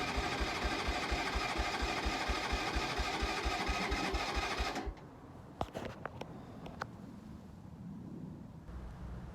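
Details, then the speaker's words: Keeway 125cc with Suzuki GN/GS engine, new battery fitted; electric starter churns about two beats a second for five seconds, only a splutter, never catches; cranks, no start, cause unconfirmed. "yet again all we're getting is a bit of a splitter I'm just going to pop the h te lead off see what's going on"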